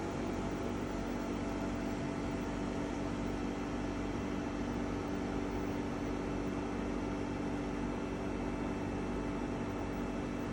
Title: EcoFlow WAVE makes an unpleasant and loud noise. Video 3